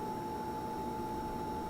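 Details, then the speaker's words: Portable beer refrigerator about two years old, kept at 36–38°F, buzzing whenever it runs since new, like a failing fluorescent bulb; steady thin buzz at one pitch over faint hiss, cause unknown. "I have no problem with it except when it comes on you hear that buzzing it's almost like a fluorescent bulbs it's going bad"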